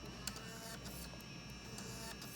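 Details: PS2 disc drive after lowering the laser sled support height so it no longer grabs: steady, even motor whirr with a faint tick, no grabbing or grinding; smooth optical drive operation after adjustment.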